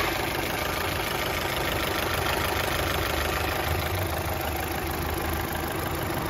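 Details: Opel Astra H sedan 1.6 XER engine after a full rebuild for a broken piston and bent connecting rod: smooth, even idle with a steady hum and no knocks, ticks or misses.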